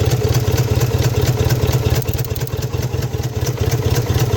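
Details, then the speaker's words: 1998 Subaru Outback EJ25 engine: low rumble with a fast, uneven crackle of sharp clicks under light throttle; owner suspects a short of some sort, source not confirmed. "Here's how the motor's currently running. Now there's a funny crackling if I give it a little bit of gas. I'm not sure where that's from."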